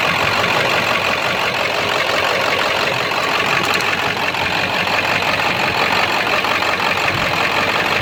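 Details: 7.3 diesel in street mode after high idle: loud, uneven idle with a ragged knock like a rod knocking. Raw-diesel-smelling puffing smoke, EGTs good, no power; cause still unknown.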